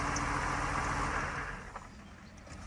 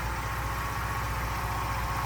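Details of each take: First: 1992 Mercedes 190E with M104 engine, restarted. After a quiet spell it idles lumpy and uneven, shaking: a cylinder misfire. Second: 1992 Mercedes 190E with M104 engine after fixes, having sat unused a long time. Low, even pulsing idle with a steady beat and no misses, knocks or hunting: normal idle.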